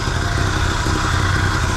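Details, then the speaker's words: 1974 Chevy C10 dump truck small block with Edelbrock carb, long abandoned, running on ancient fuel: low, lumpy, uneven idle. A vacuum gauge is on the manifold port and the timing is off. Rough idle from retarded ignition timing. "all right that's not terrible it's not great but I have no idea what the timing is I don't know what's going on and it's running on Ancient fuel but that's not death all right I can tell you right now the timing is off"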